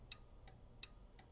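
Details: 1951 Chevrolet Styleline Deluxe converted to 12 volts, rewired with a universal signal switch for hazards: crisp, even ticks about every 0.36 s with no skips; hazard flasher cycling normally after the earlier burn-up at the 12-volt swap.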